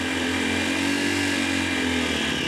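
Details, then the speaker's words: 2022 CSC TT250 carbureted single-cylinder enduro motorcycle, cold engine started on full choke: busy, raspy running held at raised revs by hand throttle while the choke is backed off, pitch wavering slightly; normal cold-start warm-up. "and back off the choke continue warming it up until I have a smooth idle"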